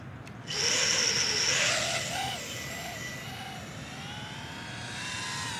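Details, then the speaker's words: Diatone GT-R349 3-inch micro racer with Mamba 1408 4000KV motors, after PID and anti-gravity gain tweaks on a higher-cell battery: the motors whir with a pitch that wobbles up and down in repeated surges. Oscillation persists; the owner says it sounded smooth on 3S. "I don't like that sound it doesn't sound smooth on the 3s it sounded okay I mean it sounded smooth"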